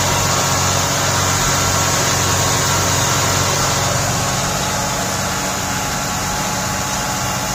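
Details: 1989 Buick Reatta with a suspected stuck idle control valve (a new valve was being fitted): the engine holds a fast, steady drone at rest instead of settling, still revving high, a runaway high idle.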